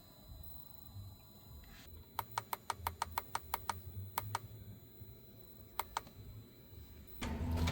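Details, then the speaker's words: VEVOR 8 kW diesel heater installed in a Freightliner Cascadia, running and warming: sharp, crisp clicks from the fuel pump feeding fuel over a low blower and exhaust rumble; normal. "So as you can hear it clicking, that's the fuel pump. You can hear the exhaust."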